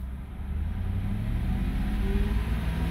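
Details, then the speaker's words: 2008 BMW 650i convertible, 4.8 L V8, 85k miles, revved: deep, smooth note rising evenly as throttle opens, no knocks or ticks over a steady low rumble; normal engine rev. "okay that's a nice sounding engine let's get underneath the hood and let's listen to to this engine compartment and let's listen to this engine a little nicer a little deeper"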